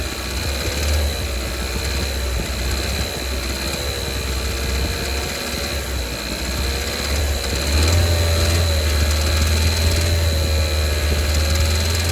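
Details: 2019 Kia Soul Base 1.6L GDI, 6-speed manual, 55,000 miles, full synthetic 5W-30: steady light ticking/knocking heard from low 2000s rpm, growing louder toward 3000 rpm; owner suspects rod knock, possibly cylinder 3.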